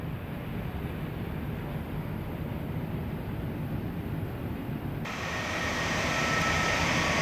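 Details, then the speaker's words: Ducted air conditioner running after its dirty air filters were cleaned: a steady soft airflow rush, a bit louder as the fan ramps, with no rattles or strain and much quieter than before. "So, as you guys can tell, that is a lot more quieter than it was previously."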